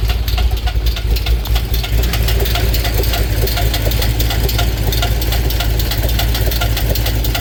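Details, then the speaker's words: 2008 Chevy Corvette C6 Z06 LS7, modified heads, BTR Stage 4 cam, Johnson lifters: rough idle with a fast sharp tick keeping time with revs; valvetrain tick, owner suspects collapsed lifter as one pushrod has no preload. "As you can tell from that clip in the beginning, the Z06 is not happy. So, I think I have a collapsed lifter."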